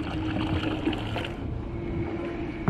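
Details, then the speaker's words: 12V 3A bilge pump on kayak, run from 12V 1.3Ah lithium battery: steady motor hum with splashy gurgling that thins out as water shifts forward and the pump loses suction, sucking air until the paddler leans back. "can hear the pump isn't getting as much water as it should but when I lean back and the water goes to the back it inactivates or it activates back on that pump"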